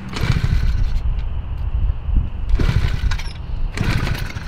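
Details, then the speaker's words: Vintage mini bike engine after fixing a backwards kill switch sputters and surges unevenly in bursts; fuel is contaminated with water, so it runs poorly. "is this fuel or water water it's water it doesn't run very well"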